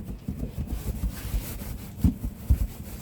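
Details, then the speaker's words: 2022 Tesla Model 3 Performance, rear seat back rocked by hand before a mobile service repair. Dull irregular low thumps as the seat back moves, also constantly heard while driving. Rear seat back rattle; a worn bushing is suspected. "you can probably hear it a little thumping sound and that gets very annoying when driving down the road we seem to constantly hear that of the seat going back and forth"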